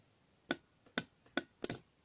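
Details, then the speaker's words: Starter solenoid from a 2009 Suzuki DL650 V-Strom whose starter was dead, bench-tested with wires from a 12 V battery on its posts: sharp separate ticks about every half second instead of a firm clunk. It clicks, then sticks, and is sometimes unresponsive, so the solenoid is faulty. "so just touch these wires on the pins and there's the click there's a click and now it's sticking"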